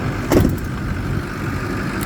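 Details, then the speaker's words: Ford F-350 6.0 Power Stroke diesel: cold start after sitting a few days; brief crank, immediate catch, then an even idle clatter with no stumbling; a healthy start. "we start this up it starts right up every single time I turn that key never had the issue with starting up"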